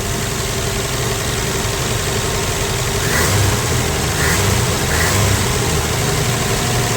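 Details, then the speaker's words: 1965 Plymouth Valiant 100 with a slant six and 3-speed, at its first start in years. It settles into a smooth, even idle with a steady beat and no knocks or misses, with a little smoke; the oil light doesn't work but oil is full. "Well, that sounds good. That's idling nice."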